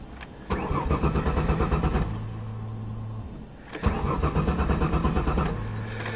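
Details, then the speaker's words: 1994 Ford Taurus wagon, engine primed, owner suspects the gas was stolen: two bursts of steady starter cranking that never catch or fire, no fuel reaching the engine; crank no start, out of fuel. "I hope the gas isn't stolen out of it I wonder does it gauge work a I bet someone did steal the gas"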